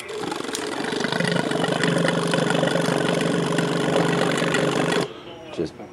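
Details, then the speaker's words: 2002 Yamaha R6 sat 4+ years, started with old carbs fitted: catches and runs rough about five seconds then cuts out abruptly; no fuel pressure, clean carbs to be fitted. "this initial pulse it's trying to find Pola but it can't because there's no pressure so it's just shutting down an initial birth"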